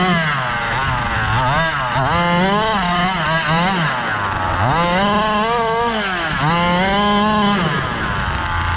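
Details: Gas-powered Rovan Baja 5B 1/5-scale buggy, test run after a crash rebuild with a new differential: small two-stroke revving up and down in clean sweeps, crisp throttle response. Running normally.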